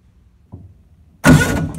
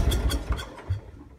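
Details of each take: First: Lincoln Ranger 250 gas-driven welder with a weak starter: cranks steadily for about two seconds and never fires; crank no-start traced to a fuel feed problem, possibly a broken tank pickup, not simply out of gas. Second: Lincoln Ranger 250 gas-driven welder after a no-start: the small petrol engine gives a few rough low chugs, fires and runs briefly. Owner suspects a fuel feed problem (pickup tube or hose in the tank) and a worn starter.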